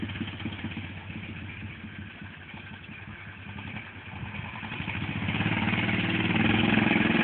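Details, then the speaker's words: 1957 Cushman Iron Eagle single-cylinder after an ignition timing fix at the stator plate: putters evenly at low speed, then revs climb cleanly with no stumble or mid-power-band flat spot. Running healthy. "- you hear there's a major difference in the way it's running so anyway that's not one of these engines if you're having a problem with a flat spot right in the middle of a power band I highly suggest checking the timing"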